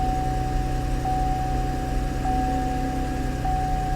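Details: Salvage-auction car with about 52,000 miles, jump-started on a cold day: engine settles into a smooth, even idle with a steady low hum and no misses or knocks; sounds healthy.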